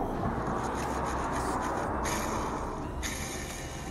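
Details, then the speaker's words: Old clutch throwout bearing from a 2006 Mazda 3 hatchback, spun by hand off the car, gives a dry gritty rasp; it is badly worn and rusted. "You can hear that, that's pretty bad. Looks well rusted and well worn."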